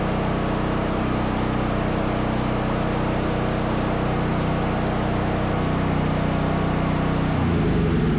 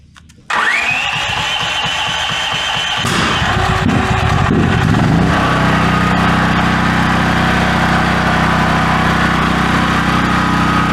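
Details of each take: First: Brand-new Duromax 13000 generator after a new choke stepper motor and spark plug: second successful start, steady, even drone with a smooth rhythm and no pops or backfiring. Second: New Duromax 13000 generator, backfiring since out of the box, which ruins the choke stepper motor and stops the choke working: engine catches, then pops and stumbles unevenly before settling; won't idle well, owner hopes warming helps.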